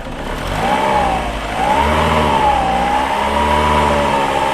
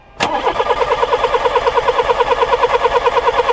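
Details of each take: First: Older VW Polo 1.4 petrol, being fault-found for a no-start: engine revs up smoothly and holds an even, clean note with no misses or knocks as it rises and settles, sounding healthy. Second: Older VW Polo with a 1.4 petrol engine that won't start: the starter turns the engine at a steady beat of about two revolutions a second with no firing, and no spark comes from the plug, indicating an electrical fault.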